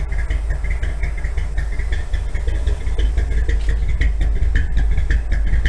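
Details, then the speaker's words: 1957 Chevy V8 after carburetor float apparently came unstuck: deep, throbbing, lopey cam idle, steady and strong, 35 psi oil pressure at low rpm, temperature low; normal idle. "Oh, it's actually idling now. Maybe the float came unstuck. Oh boy. Yeah, the float must have come unstuck. Listen to that throbbing."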